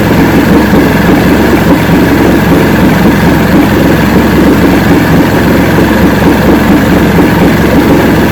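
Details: 1970 85hp Evinrude two-stroke outboard with hydroelectric shift, 50 years old, new water pump impeller, idling in neutral in a water container: loud steady even burble, no misses or surges; carburetors judged good at idle, full throttle untested.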